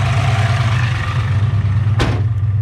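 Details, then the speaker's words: Ford Fox-body Mustang with a turbocharged 363 stroker, after fixing a header/exhaust leak that had caused ticking: deep, steady idle rumble with an even beat and no tick or puffing; normal idle. "nice I don't hear any tick whatsoever perfect"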